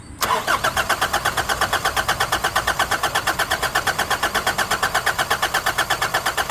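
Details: Nissan Navara D40 diesel after fuel filter replacement: steady starter churn at about three beats a second with no catch or firing; cranks but won't start because of air in the fuel system after insufficient priming.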